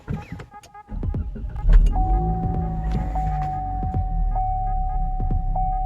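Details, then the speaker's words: Cadillac ATS 2.0T after a P0302 cylinder 2 misfire (rough idle); new NGK iridium plugs didn't help, a swapped coil fixed it and the code was cleared: steady, even idle hum with a faint tone, no stumble or miss; smooth idle. "all right smooth idle"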